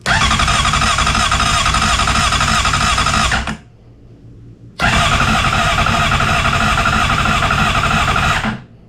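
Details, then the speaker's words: 2007 Honda CBR600RR after oil, filter and air filter service, new battery, neutral with kickstand up, headlight wiring unplugged amid electrical issues; two long bursts of loud, fast cranking that keep failing to catch. Extended cranking, slow to fire. "Nothing so far. Ooh, it's trying."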